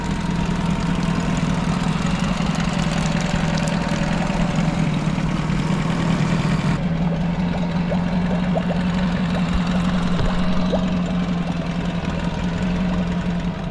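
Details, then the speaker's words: Honda outboard with a bracket holding a Yamaha fuel connector. A steady, even idle with a constant low hum and no misses or knocks; it fires right up and pumps good water. "the fires right up feel like the camera doesn't do it justice but it's actually pumping good water"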